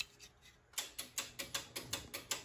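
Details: 6-zone Argo switching relay on a boiler heating system chattering with rapid sharp clicking, about four or five a second; cause found to be a faulty zone valve end switch.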